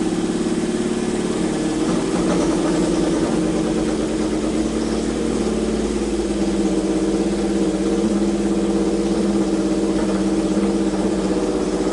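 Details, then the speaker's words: Neglected Honda CB750 inline-four first start after revival, on choke, oil slightly overfilled and leaking from overflow when revved: steady, even idle with a smooth drone that revs cleanly; normal idle and revving. "but hey better to have too much oil than not enough but dang dude the thing runs pretty darn gr"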